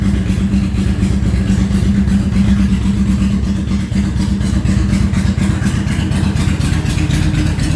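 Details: Honda VTX1800 (2002-2005) V-twin idling after fuel pressure regulator replacement: deep, steady, even lumpy beat, no misses, ticks or knocks; normal idle.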